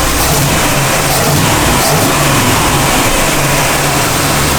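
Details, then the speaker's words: 1965 Cadillac with new carburetor after check valve replaced, idling at about 1,000 rpm: steady, even smooth low hum with no misses or stumbles; starts, idles smoothly and shuts off cleanly, healthy. "I figured I'd be chasing this issue for a long time, so now that it starts, idles really smooth and shuts off, I feel a lot safer about driving it around"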